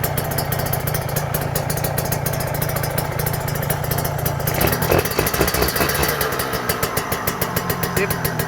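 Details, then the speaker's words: Rebuilt Kawasaki Ninja 150 two-stroke with ported block: even, quick idle pulse with no whine or rattle; very smooth and quiet, normal idle. "Oke ini halus banget bisa teman-teman dengar ya halus senyap"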